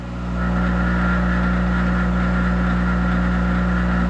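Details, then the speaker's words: Monarch 10EE lathe, warmed up, electronic variable-speed drive set to about 200 rpm; spindle loaded by hand while the drive hum holds one even pitch with no sag or hunting; speed compensation working normally. "okay now I'm going to put my hand on this spindle on this um um call it shock it's smooth and I want to grab it look at that Corral that's the speed compensation and it and it's holding"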